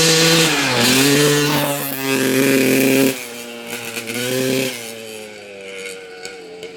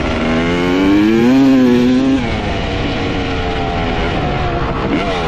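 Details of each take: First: 1995 Honda CR250 two-stroke dirt bike with the old flywheel refitted: revs climb, then fall flat and stumble as the throttle opens before recovering. The bog returns, confirming the old flywheel as the cause. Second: 1995 Honda CR250 two-stroke dirt bike, previously bogging, run with the original CDI and stator swapped back in: revs rise to a clean wail and drop back to a crisp idle without stumbling. Normal running, so the CDI and stator are ruled out; the gas line or flywheel is still suspected.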